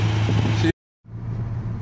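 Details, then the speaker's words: Rover P6 after starter wiring trouble, not run for a couple of weeks: steady even idle hum, no misses or knocks, ticking over smoothly; oil and water checked; loose starter/battery connection suspected. "Here we are, she's just ticking over. I'm just going to leave it running here for a few minutes."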